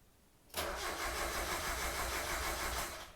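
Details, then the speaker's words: 1990 Mazda Miata after top-end engine rebuild: about three seconds of steady starter cranking at three to four turns per second, engine never catches; plugs pulled after an earlier attempt had never fired, indicating no spark. "think so first things first i tried to start this car and it cranked but it wouldn't turn over when i pulled the spark plugs"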